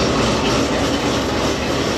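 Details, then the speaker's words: Cammed, supercharged C7 Corvette Z06 with Corsa exhaust, warm idle, recorded at the rear; faint, uneven buzzy rattle over the exhaust drone from the passenger-side tip; absent when cold; exhaust valve actuator rattle, service bulletin fix planned. "all right it looks like it just wasn't doing it while it's cold it's doing it now you can hear back here out of here you kind of hear the rattle coming out of that passenger side now"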